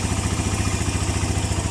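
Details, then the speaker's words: Suzuki Mola GS125 engine converted to 150 and rebuilt; after repair the earlier ticking noise is gone, steady even idle putter with clean regular beat: normal idle. "Tahimik na. Hindi pa kagaya nung nakaraan na may lagitek, ngayon wala na. Natahimik. Ang ganda ng andar."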